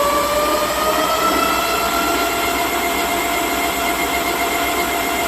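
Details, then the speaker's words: Dual-hub 1500 W front and rear (3000 W peak) 52 V 25 Ah fat-tire ebike, rear wheel raised and spun up on the throttle. A smooth, steady whine gently climbing in pitch, with a slight soft start; normal hub motor. "yep seems like it's has a little bit of a soft start"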